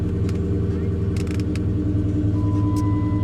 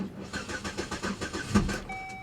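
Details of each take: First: V8 salvage car idling just after a cold start, check engine, ABS, TPMS and brake lights on: steady even low rumble, smooth unchanging tones, no knocks or misses; sounds good. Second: Pontiac G8 GT listed as a non-runner, cranked on a jump pack on a snowy day at a salvage lot: fast even cranking for about two seconds, then it catches and runs rough; upper-end tap heard afterwards.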